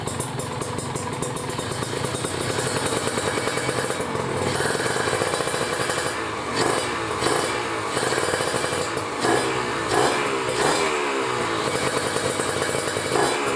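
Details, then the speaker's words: Kawasaki Ninja RR two-stroke, just started and still a bit cold, with a PWK30 carb, 140 main jet, 42 pilot, JJY needle clip second from top and an added ground wire. Crisp ring-ding idle with a few blips, slightly uneven while cold but clean and healthy. "Kita coba dengerin ya suaranya ya teman-teman. Nih suara langsamnya kayak gini ya."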